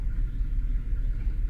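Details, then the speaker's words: Infiniti FX37 (QX70), valve clearances tight on bank 1: low, uneven idle with irregular thumps and shaking; misfiring cylinder from a tight, burnt valve. "в банк один у нас десь прогорівший клапан зажатий."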